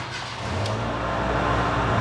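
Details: Proton Wira after its faulty ignition switch was replaced: the engine catches promptly and builds into a steady, even idle with no stumbling; a clean, healthy start.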